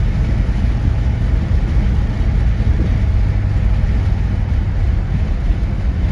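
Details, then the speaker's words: 1973 Ford LTD with a 460 V8 accelerating at part throttle, not full: deep, dense rumble pulling strong and smooth with no misfire, knock or stumble; normal acceleration with plenty of torque. "not overly fast but they still have tons of torque"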